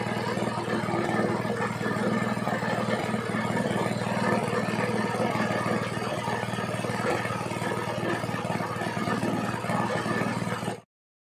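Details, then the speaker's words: Small petrol gasoline water pump engine after carburetor cleaning and magneto/ignition cleaning, previously misfiring from long disuse: steady, even buzz with no misfires, rpm test fine; runs clean and healthy. "Ayan mga sir umaandar na yung ating makina na na yung andar niya subakan naman natin ditas yung rbm niya Ayun mga Sir okay na okay na maganda na yung andar niya"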